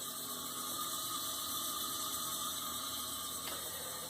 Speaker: It's constantly running. The valve is old and leaking and it needs to be replaced.